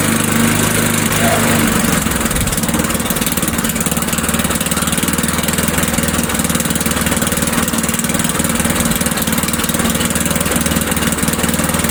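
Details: Old Sears Craftsman Eager 1 mower with Tecumseh engine, restarted without priming, throttle on low; steady, even putter with no misses, hunting or surging, running healthy.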